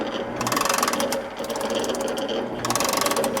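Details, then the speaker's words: Morey vertical shaper feed box after oil pump line repair, ram engaged: crisp ratchet clicks each ram stroke about every two seconds, steady and even, oil reaching cup and plunger; normal ratchet feed operation. "what we'll do here is I'll go ahead and engage the spindle or the the ram and you can see how the ratchet mechanism"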